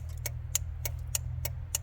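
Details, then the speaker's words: Suzuki/Geo Tracker (Vitara), 4WD, 5-speed, rusty: sharp rapid clicking about three times a second over a low hum from an electrical module, believed to be an add-on car alarm cutting the engine off. "Oh, I despise electrical issues. Hear that? I don't know what that is. We got to find that. I think that's our issue."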